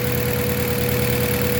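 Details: Mazda 3 gasoline engine: idle pulses with a slightly uneven low beat and faint whine on top, shaking like a misfire or rough running; cause suspected, not confirmed.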